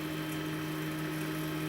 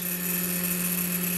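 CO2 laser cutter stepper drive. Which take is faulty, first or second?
second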